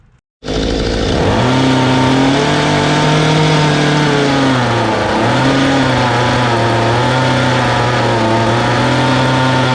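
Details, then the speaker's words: Mantis two-stroke rototiller, small weed-eater-size engine, hard to start (wet plug, plug replaced, brittle fuel line found): fires after much cranking then revs hunt up and down unevenly; hard starting and surging from incorrect carburettor mixture. "all right I got her to fire up it actually took a lot more effort than I wanted I started looking in into its more and making some adjustments"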